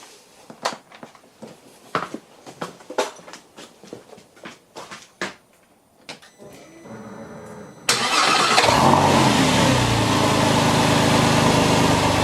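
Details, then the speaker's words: Porsche 911 996 C4S after replacing power steering pump, alternator and starter and refitting drive belts: clicking, then it cranks, catches cleanly and settles into smooth even idle with no noisy pump or rotating parts. "let's fire it up fingers crossed no noisy power steering pump and no o noisy rotating Parts"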